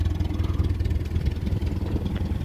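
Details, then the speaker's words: 1961 Land Rover parked since 2003, first start after a full rebuild (rebored plus 40, crank ground, lead-free head), cold with choke: an even, steady low putter with no knocks, misses or ticks; it runs well. "i've got it outside now so the engine has been fully rebuilt and it it is uh been bored out plus 40 and it has a lead free head on it for unloaded fuel and it seems to be running quite nice"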